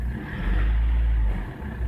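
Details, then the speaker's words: 2009 Ford Everest 2.5L common-rail diesel with low power complaint, after its four injectors were removed: a smooth, even rumble rising cleanly with throttle and settling without knocks or misses; fuel pressure thought okay. Normal free rev. "yeah engine runs okay so oh sounds okay so uh I think the pel pressure is okay"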